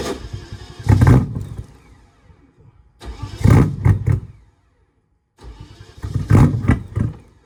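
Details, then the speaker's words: BMW E30 with M60 4.0 V8 swap, external fuel tank, ECU connected, recorded from behind car; repeated slow cranking bursts, never fires; cranks but no start, owner suspects knock sensors or bad ECU. "I still have no idea I'm starting to think it's the knock sensors or the ecu's bad"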